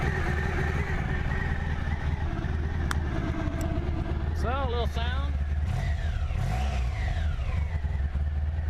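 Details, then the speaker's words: Honda ST1100 motorcycle, warm after sitting a little: smooth, even idle with clean blips that rise and fall freely, no ticking or knocking. Normal idle and revving, runs solid. "It's pretty solid. Maybe I say real solid."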